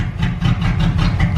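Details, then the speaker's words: 1998 Jeep Grand Cherokee with blown head gasket (oil mixed with coolant), about 20 minutes into a Blue Devil sealer treatment: uneven, lumpy idle with heavy low thrum surging and stumbling irregularly; idle getting really weird and rough. "alright so it's been about 20 minutes still running but it's running pretty Gras just got significantly rougher all right the idle just got really weird"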